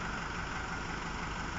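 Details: Chevy Captiva brought in by wrecker with flashing engine light, low power and engine misfire; steady idle with uneven low-end pulsing and a slightly lumpy beat fitting a misfire, rough idle.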